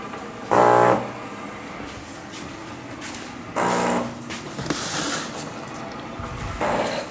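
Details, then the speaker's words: SciCan STATIM 2000 dental cassette sterilizer after water pump replacement for Fault 16: replacement pump running dry because it was not primed, with no water in it, giving harsh buzzing bursts about every three seconds with quiet gaps. "I guess cuz that's a pump and there was no water in it I should stop I'm going to have to do this a couple of times because the pump wasn't primed so there was no water at all in the pump"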